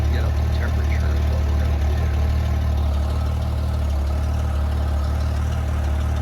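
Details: 1994 Honda GL1500 Goldwing Aspencade, first start in two and a half years after aftermarket fuel pump replacement, oil in cylinders, choke off: smooth, low, steady hum with even beat, no stumbling or ticking; idles cleanly and runs healthy.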